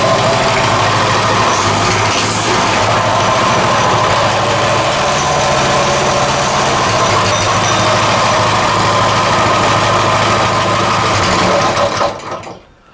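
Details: Coleman 196cc mini bike, a repaired customer return with a formerly locked-up motor, started easily fully choked. An even, steady idle with a smooth beat and no knocks or misses until shut off; it sounds healthy.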